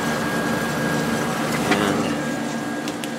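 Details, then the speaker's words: Whirlpool Accudry 40-pint dehumidifier, late-1990s or early-2000s, reciprocating compressor, after running a while: steady fan rush, low hum and faint fixed whine, good airflow; dripping water, still works; normal running. "it's been running for a while now and it is dripping water see that or not here you go this thing still works"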